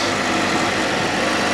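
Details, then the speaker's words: Fiat Panda 4x4 Sisley, Fire engine, at full working temperature after water pump replacement: even, steady idle with no grunting or grinding. The old water pump appears to have been the cause. "and listen no grunty grindy noises so it looks like it was the water pump that was doing that sound"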